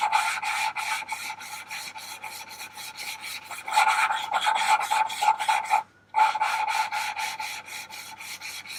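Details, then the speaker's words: VW T4 2.5 TDI ACV cylinder head valves lapped by hand with coarse then fine grinding paste: steady back-and-forth rasping strokes about two a second, the grit note changing and settling as the valve seats. "Again, we're listening for the sound, the change in the sound, so you can hear that it seats."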